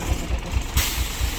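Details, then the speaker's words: 1990 Bluebird bus, turbo Cummins diesel with VE pump, after bleeding and starting on ether: rough idle with a heavy regular low thump about four times a second; throttle gives zero change, owner suspects pump or lift problem. "little thumpy in the back. But when I hit the when I hit the vein on this is a VE pump, I'm not getting anything. Zero change. I think we got a pump problem"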